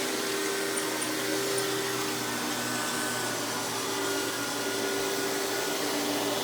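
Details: Hoover PowerMax Supreme 850 S3609 canister vacuum, 1990s, non-original hose, on high speed with power brush: steady motor whir, constant airflow hiss and smooth brush hum, no rattles or pitch swings; runs very smooth, not the quietest; normal running.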